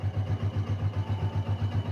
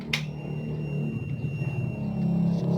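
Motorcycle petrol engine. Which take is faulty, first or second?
second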